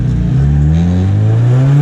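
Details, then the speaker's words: Drift car after refitting the MAP sensor vacuum line that had come off and fixing a leaky rocker cover gasket: strong, even engine note rising and falling smoothly with throttle, no misfire or hiss; normal revving. "And we had a leaky roll cover gasket, but it's all fixed, so the car should be running mint now."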